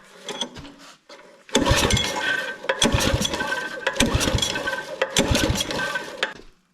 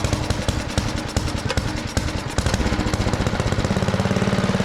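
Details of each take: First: Neighbour's rototiller just after its corroded carburetor bowl was cleaned, with fresh fuel, choke on, fuel on and throttle in the middle. It fires briefly on several pulls, then dies each time. It has spark and is suspected not to be getting fuel. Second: Neighbour's rototiller after carburetor bowl cleaning, started on choke. The single-cylinder engine catches with uneven popping, then settles into a steady chug of about three beats a second. It runs fine; it just needed time to fill the bowl.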